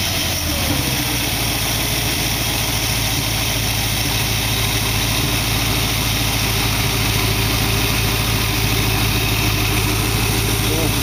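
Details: Dual-quad carbureted V8 in a 1914 vehicle build, after the carb's possibly plugged passages were cleaned because it had been puking fuel. Even, steady idle with a smooth low rumble and no misses or knocks. Air screws now respond and it is not pouring fuel. Normal idle.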